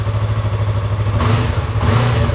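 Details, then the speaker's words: Stolen-then-recovered Yamaha R3, running just after engine case cover replacement with coolant topped off and oil refilled. Low even throb with a brief rev blip, no knocking or rattle. Normal running. "Oh man. Listen to that baby purr. Oh yeah. Yeah, she's doing good."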